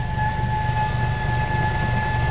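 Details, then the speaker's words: 2008 Mazda 3, engine started, heard from underneath the car: a steady, thin high whine over the low engine rumble that stops when the tank is struck. Fuel pump whine. "so this car had uh the problem the noise in the fuel pump so we start the car when I hit it the petrol pump"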